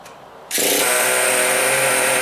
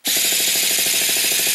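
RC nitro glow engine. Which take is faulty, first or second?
second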